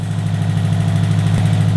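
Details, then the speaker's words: Built 2005 Subaru WRX STI first start after engine repairs: raised idle with quick steady low pulse, faint click near end; lean around 18 AFR on an unlearned tune, aftermarket injectors, earlier ticking gone. "Yo, we're running super fucking lean. We're at like 18 AFR. We're running high idle on a tune that hasn't learned itself yet."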